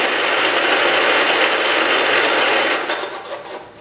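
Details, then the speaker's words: 1969 John Deere 112 Patio tractor cranked over on what is believed to be its original spark plug: an even, brisk whirring crank at roughly three beats a second that doesn't catch. Normal cranking, and the starter is judged good. "definitely sounded better after being turned over some so that's good so we know the starter is good and everything here seems to be okay"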